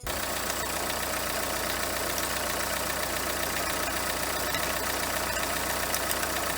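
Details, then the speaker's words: Renault Kangoo 2 1.5 dCi diesel at idle: steady engine note with a light metallic chatter on top, jerky like a dry, dirty bearing; worn alternator overrunning pulley rattling, fixed by pulley replacement. "Якщо добре вслухатися, то разом з роботою двигуна ще є якийсь такий більш до металевого звуку. І робить воно таке відчуття, як, наприклад, в підшипнику нема змазки, але в підшипник попав якийсь бруд, кусочок, і коли він крутиться і робить такі ривки якісь."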